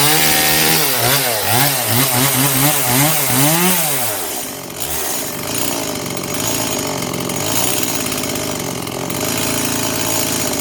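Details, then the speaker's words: Stihl MS 180 chainsaw rebuilt with Chinese WINZOR parts including the crankshaft, first start on fuel-oil mix: revs up and down cleanly several times, then settles to a steady, even run after a slight carburetor adjustment; running normally. "Ну вот, немножко подрегулировали карбюратор, и пила работает нормально и устойчиво."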